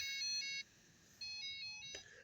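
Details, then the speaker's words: Breadboard control system for a robotic dinghy, with an Arduino and a Flysky transmitter, after the transmitter is switched off: bursts of shrill, steady beeps with short gaps; loss-of-signal warning tone showing no reception. "See, there's no reception signal now."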